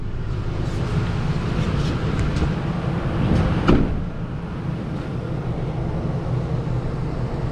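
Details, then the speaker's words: Ford F-150 after an engine swap, first run after fixing an unplugged throttle body connector; steady low rumble at idle with an even beat, no knocks or misses, good oil pressure: normal idle. "now you can hear it run runs like a dream awesome"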